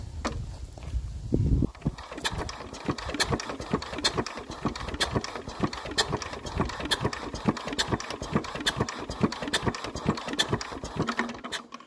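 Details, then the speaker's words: Enfield twin-cylinder diesel cranking: steady compression beats around four a second with sharp clicks, never catching; no start because no diesel reaches the injection point, with a major fuel leak. "We don't appear to be getting any diesel out of here at all. We don't even seem to be getting a spit out of there."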